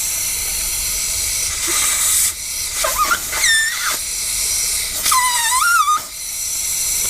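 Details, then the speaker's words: Air leak on an International truck engine: loud steady hiss with short whistling squeals while running, from the air-operated fan clutch, whose housing seal or gasket is leaking air. "so there's a seal or a gasket and the fan what what happens is that fan is air operated the clutch on that fan is air operated and the housing is leaking um in it"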